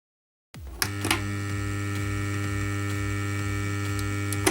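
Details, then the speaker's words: Sven MS-1020 active speaker system (15 W satellites, 30 W subwoofer): a loud, steady low mains hum with stacked buzzy overtones and no music output; most likely a power supply fault. "And looks, you can hear the background of alternating voltage, not constant, as it happens when the amplifier chip burns out."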